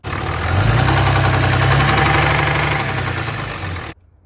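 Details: Ram Cummins diesel at idle: steady, hard knock about four times a second over the low rumble; owner suggests an oil additive slightly thicker than oil as a cheap fix; cause not confirmed.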